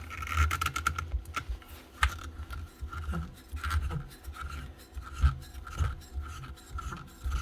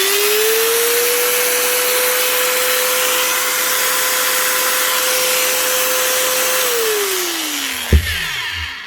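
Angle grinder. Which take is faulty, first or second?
first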